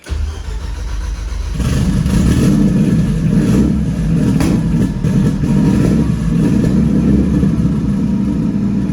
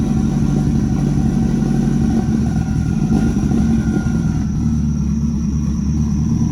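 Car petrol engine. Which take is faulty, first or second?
first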